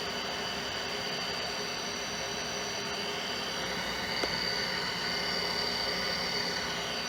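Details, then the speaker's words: Hard drive in a 1987 Compaq Deskpro 286, an old IDE drive, powered on: steady airy hiss, then a thin high whine rises as it spins up; it seems to spin down and up again, cause unknown. "that's the hard drive whoa [Music] it sound like it's down for a second they're like it just spun up"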